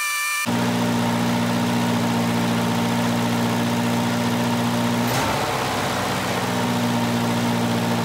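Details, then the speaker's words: 1985 Volvo 240 with straight-through idle air control valve, LH2.2 injection: steady, fast idle with an even drone that never settles, exhaust leak present; high idle from a sticking idle air control valve; vacuum leaks around the intake manifold are the first thing to check. "now if it was really high idle earlier the first thing you want to check for is a vacuum leak"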